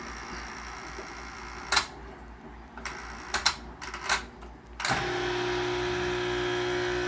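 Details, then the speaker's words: Maytag Neptune MAH4000AWW washer with the water off: after some clatter, the pump kicks on with a strained, steady droning hum. Both the drain and recirculation pumps are noisy; the second pump is seized. "now it sounds like the second pump is also seized so that's the problem"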